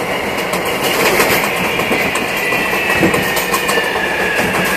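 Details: MTA R142A car 7686 on a Manhattan-bound 4 train near 183rd Street: thin steady howl above the rolling rumble and wheel clatter as the car runs; howling traction motor, later fixed.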